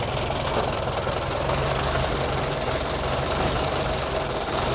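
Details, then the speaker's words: 1925 Ford Model T four-cylinder revived after sitting for decades, points cleaned: loose but even chuffing idle with a steady beat and no stumbling; idling normally. "Dude, it runs good. - It's running really good."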